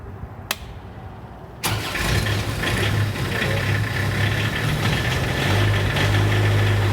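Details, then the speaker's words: PCI Self Generating Nitrogen Servicing Cart (SGNSC/GANG) diesel engine just started after a short crank: a steady, even drone at a fast idle around 1500 rpm, warming up, with no knocks or misses; normal idle. "Around 1500 RPMs, you want it to idle for a while, let it warm up."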